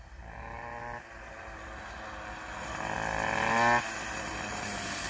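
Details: Two-stroke moped after ignition troubles were sorted and a new quiet exhaust fitted, ridden uphill: crisp note climbing cleanly under load, no misfire, stutter or rattle; the engine pulls well and runs healthy.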